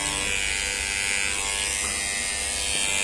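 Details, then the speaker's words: Kemei hair clipper after tightening blade screws to fix noise: steady high even buzz, no rattle, noise much reduced though still present. Finding: normal clipper running. "é claro que ele tem barulho né mas a gente tiver aí que o barulho amenizou bastante"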